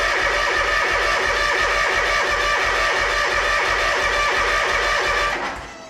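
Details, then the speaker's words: Toro Z Master commercial mower, Kawasaki FX691V V-twin with over 2,000 hours, intermittent no-start: starter spins evenly about three beats per second but never fires; fuel starvation suspected. "there you have it absolutely nothing"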